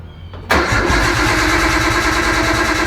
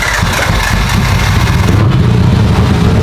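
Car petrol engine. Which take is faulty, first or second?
first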